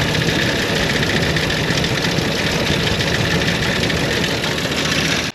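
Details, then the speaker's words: 1930 International fire truck six-cylinder: a steady idle with an uneven, stumbling beat under a constant hiss, apparently running on about four of six cylinders; plugs were cleaned and swapped, owner suspects plug wires or plugs, cause unconfirmed. "if you heard that uh it just sounds like it's missing on a couple cylinders but I think it's only running on like four cylinders out of the six"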